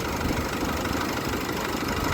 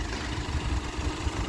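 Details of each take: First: Comparison Nissan Navara with the same 2.5 L YD25 turbo diesel as the decarbonized 2013 truck: uneven, coarse diesel clatter at idle, noisier and less smooth than the cleaned engine, with less power. Cause not confirmed. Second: 2013 Nissan Navara D40 with the YD25 2.5 turbo diesel at 240,000 km, idling after an intake manifold decarbon, EGR clean, injector clean and oil change. A low, even idle with a steady beat and no knocks or misses; smooth and quiet.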